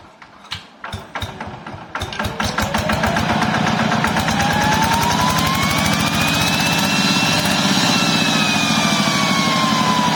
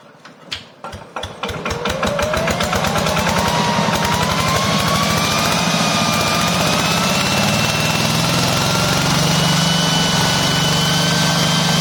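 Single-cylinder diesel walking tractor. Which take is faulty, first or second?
second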